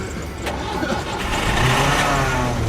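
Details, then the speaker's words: Andre's van, last fuelled about a year ago: after long cranking the engine stumbles briefly, then catches and revs up to a steady, rising roar; engine starts and revs. "when's the last time you put gas in this about a year ago that's why it's not starting"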